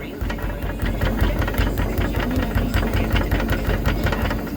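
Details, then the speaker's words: Volkswagen Polo, wheel struck to test suspension: each hit brings a sharp metallic clatter and ringing "dyn dyn" from the spring; cracked coil spring confirmed. "tak jak myślałem że sprężyna pęknięta to słyszałem jak dzwoniła nie był taki właśnie pod dźwięk takiej Dyn Dyn"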